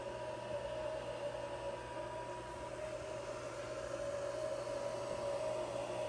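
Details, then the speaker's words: XTZL3D S1 3D printer just after finishing a print: constant even whirring hiss and steady mid-pitched hum, stock cooling fans very loud, drowning out motion noise. "However, the fans are really loud. I'm not sure what you guys are hearing right now, but the fans are really pretty much all I hear."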